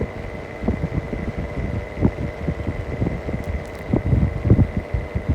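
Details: Mistral exhaust fan: continuous motor hum with a thin steady whine and an uneven low throbbing beat underneath; worn fan motor bearing.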